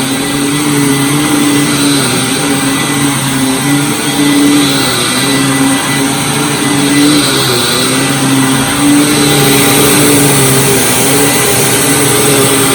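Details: Hoover WindTunnel Supreme U5468-900 upright vacuum before refurbishment, with a finicky switch and an aggressive brush roller. Steady motor whine with airy hiss and constant brush drone, no rattles or pitch drops; normal running.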